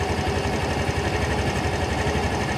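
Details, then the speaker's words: Used 2020 Yamaha Grand Filano Hybrid ABS scooter, 10,000 km, one owner, original: light, fast, even putter at one steady speed, no knocks or rattles, quiet with no white smoke; smooth, healthy idle. "คราวนี้เรามาฟังเสียงเครื่องยนต์กันนะครับว่าเป็นไงกันบ้างนะครับผมเสียงเครื่องเงียบนะครับเดินเบาก็คือนิ่งเลยรถไม่มีควันขาวนะครับ"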